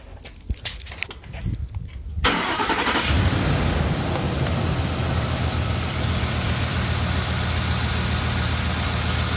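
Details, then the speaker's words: 2008 Ford Expedition 5.4L 3V V8, start and idle after a timing chain job, with VCT solenoids replaced earlier: an even, steady idle with no timing chain slap and no cam phaser clicking or light knocking. Healthy after repair. "as you can hear it's a lot smoother sounding you don't hear that chain the timing chain slapping around there's no plastic which you don't hear the cam phasers clicking"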